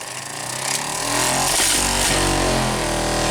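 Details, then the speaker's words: Saab in cold winter weather, blower motor previously jammed by ice: blower spins up with a chattering rattle and sharp ticks as blades strike ice packed in the fan housing, shaking the dashboard. "Oh no. The whole dashboard's shaking. You can hear things flying around."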